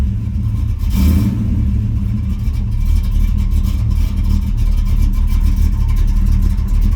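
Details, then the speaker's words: 1979 Pontiac Grand Prix V8 with aftermarket cam, started with carb cleaner: deep idle with uneven loping beat as revs settle, choppy overlap of a performance camshaft; lumpy cam idle. "he sounds mean probably okay she's a runner definitely got a cabinet you can hear that overlap I like it I like it a lot"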